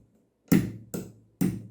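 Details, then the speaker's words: Office/gaming chair gas cylinder (piston) being opened: three sharp knocks with a rattling tail from the cylinder bearing clacking because the internal bumper is damaged; bumper to be replaced and parts cleaned and regreased. "دقیقا همون صداست این قسمت بلبرینگشه"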